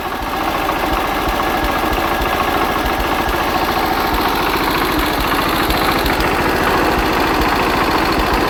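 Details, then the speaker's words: Hatz single-cylinder diesel converted to spark-ignition on woodgas, after ignition retarded about 10°, at about maximum throttle under load: steady firm thump about three beats a second, even rhythm, runs smoothly; normal running. "throttle or whatever so that's about maximum"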